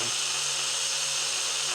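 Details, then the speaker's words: Reico Titan truck camper jack, noisy jack motor run via control button: steady, harsh high-pitched whir with raspy edge, no speed change; owner suspects motor is going, much louder than another jack; spare motor swap ran far quieter. "go the other way with it sounds like crap it does I think the motor's starting to go all right it sound like the motor's going"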